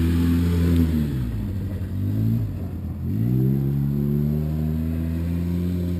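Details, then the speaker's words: Polaris Sportsman 700 EFI ATV after new Carter fuel pump replaced a failing one that caused gulping and starving: engine revs up cleanly, drops back and climbs again evenly, no misses or stumbles; normal acceleration. "so that sounds so much better that sounds so much better yeah smooth"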